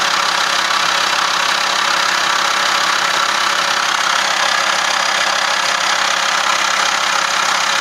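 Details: Clattering at idle with the air conditioning engaged; a rattly, uneven clatter about three times per second runs through a steady idle once the AC is on.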